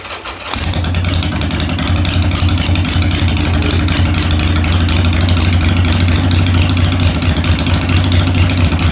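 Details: 2001 Harley-Davidson 1200cc V-twin, 19,866 miles, in neutral, needing some work, started in the garage: it cranks, catches within half a second and settles into a steady, lumpy twin idle with no knocks or misses; healthy start.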